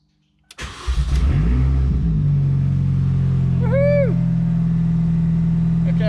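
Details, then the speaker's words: R53 Mini, after priming the fuel, running with no exhaust fitted: it catches after a few cranks and holds a loud, steady open-exhaust drone with even pulses. The engine now runs cleanly. "we love the sound of uh we love the sound of it without the exhaust"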